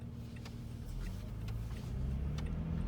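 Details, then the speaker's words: 2017 Toyota Sienna, still under warranty, at highway speed with AC off and windows up; steady deep roar in cabin as if AC fan running, quiet when stopped; excessive wind noise, source not found. "test in highway six Constitution places you will hear the noise as if the AC is on and it's real excessive noise so now complete follow stop it's completely quiet"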